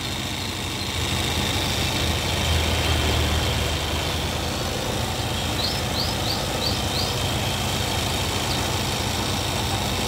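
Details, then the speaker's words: 2002 Suzuki Katana GX with the bonnet open, engine bay shown near the front-left fender and power steering. Smooth, even idle, a steady hum with birds in the background, no knocks or ticks; the engine sounds good and healthy. "ini terus ini bagian spakbor depan kiri ini power steering nya suara mesinnya enak"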